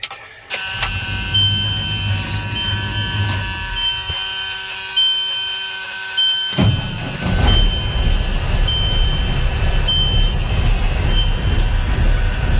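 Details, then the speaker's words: Diesel engine: short crank, then it fires right off and settles into a steady, even idle. "the thing starts so good it can sit for months and months and months and you go crank it over and it fires right off"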